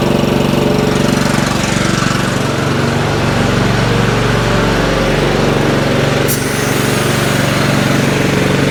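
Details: Craftsman 30-inch riding mower single-cylinder engine, on choke, after the gummed carburetor was cleaned: chugs steadily at a fast, even beat with no stumbling or dying. No spark plug was needed; healthy after repair.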